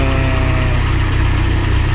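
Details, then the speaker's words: 1996 Nissan Hardbody pickup, carbureted Z24 engine, idling after a successful carburetor overhaul. Even, steady low thumping with no misses, surging or hunting; it settles smoothly and runs fine. "but the most important thing it was running now with the surrounding time and it was successful that they were holding the carburetor was"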